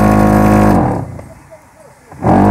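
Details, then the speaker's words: Renault Megane 2 cabin blower before repair, working only on speed 4: loud droning hum dropping away and returning; mice chewed the pollen filter and fan, causing tremendous noise under the passenger-side dash. "eu acest Renault Megan a venit pentru o problemă că face un zgomot tremend aici prea mare și nu merg decât treapta 4r"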